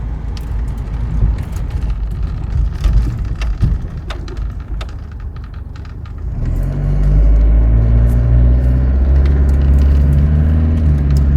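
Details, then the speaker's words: Land Rover Discovery 300Tdi diesel automatic on the road after a cold start, with a new timing belt, head gasket, skimmed head, glow plugs and ancillary belts. Its deep steady drone rises smoothly as it pulls away with no knocks or rattles, running normally. "It's a nice relaxed drive with the automatic. Certainly not going to scare anybody with sudden burst of speed, but does the job fine."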